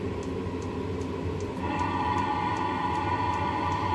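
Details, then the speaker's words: 5 kW Chinese diesel heater on high: steady low droning combustion rumble with faint regular ticking, loud but even running; combustion noise described as annoying. "that noise is actually quite annoying the rumble from the combustion"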